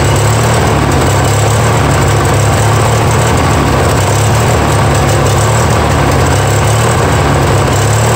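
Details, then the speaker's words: Yard Machines 20 hp twin-cylinder riding mower with 42-inch deck, fuel just drawn up after sitting dry: loud steady drone with a wavering hum. The engine runs but won't idle down, and no knock is heard. Carb work is suspected. "that issue boys they are not even won't even idle down soul yeah so we need obviously some carb work"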